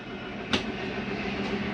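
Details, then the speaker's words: 2022 Catalina 323BHDSCK travel trailer, slide number two retracting: steady whirring motor hum around 200 Hz with one sharp metallic clack, metal banging as the slide stops itself coming in too far; normal mechanism sound, nothing breaking. "i want you to hear this it's okay to hear that for a second you're not breaking anything nothing just sounds like metal banging against each other what is the slide keeping itself from coming in too far"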